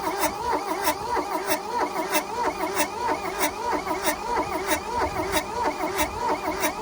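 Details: 1982 VW Rabbit diesel pickup (Caddy), sat 20 years in a junkyard, glow plugs heated: even cranking about 1.5 beats per second with no firing; cranks but won't start.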